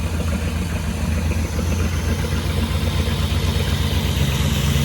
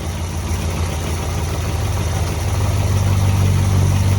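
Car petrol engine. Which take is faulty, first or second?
first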